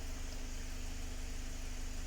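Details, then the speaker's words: 2019 Mazda 6 GDI engine after fuel injector replacement for a P0300 random misfire, idling about 10 minutes: quiet, even idle with soft steady hum, no shake; misfire counts read zero apart from a negligible trace on cylinder 1. "كذا ما شاء الله تبارك الله عندي كل أصفر. ما شاء الله تبارك الله، ولا مسجل لي أي مسفاير"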